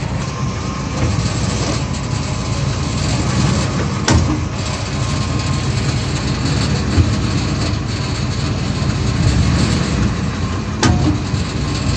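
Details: 2002 Ford F150 SuperCrew shifted back and forth between gears while holding the brake, phone under the driveshaft at the rear: two sharp clunks about seven seconds apart over a low rumble. Failing rear U-joint confirmed.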